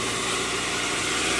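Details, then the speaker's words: 1993 Nissan 240SX after head gasket job, running about 15 minutes: steady raised hum with hissy top and no settling, idling too high; owner considering cleaning parts. "She's idling pretty high, but she's been on for like 15 minutes. Um, this is probably the best she sounded."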